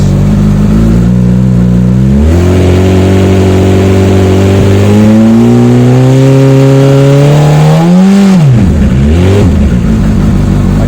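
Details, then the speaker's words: Honda CBF1000 after a week unused, cutting-out problem being chased (rusty voltmeter unplugged): starts with fuel pump priming, engine picks up cleanly from idle and drops back without stumbling when revved; stator appears to be working, normal revving. "now that to me should be hunky dory as it is so stator appears to be working like give him a little bit of beans"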